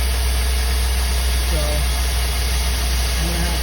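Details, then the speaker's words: 2004 Chevrolet 5.3-liter V8 box truck after valley cover gasket replacement, fuel system primed before start; low, smooth, even idle with no misses though still leaking oil; normal idle. "This thing is pouring out oil, but it sounds good. No misses. Running like a 5.3 should run."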